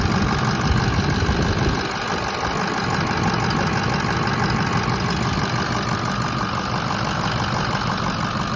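Loud steady diesel clatter settling into an even idle, about three firing pulses a second, after the clutch switch bypass.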